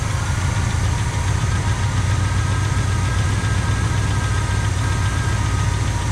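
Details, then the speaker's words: 1985 Pontiac Trans Am V8 barn find, 34,000 miles, parked since 1998: deep, even rumble with steady firing and no knock while running only on poured gas; it isn't pulling fuel and starves, stuck carburetor float suspected. "Well, it's not pulling fuel. I think I can. I think I can. Looks like we may have to take the carburetor apart, folks."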